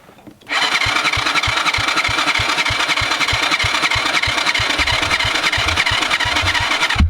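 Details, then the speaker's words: Kids' quad after sitting for years, ignition borrowed from another quad, spark now present, choke on: steady starter whirring, about three compression pulses a second, no firing; cranks but won't start, owner suspects carb needs cleaning. "Before our battery goes dead here, we'll turn that key off, and I'm going to put some fuel in the spark plug hole."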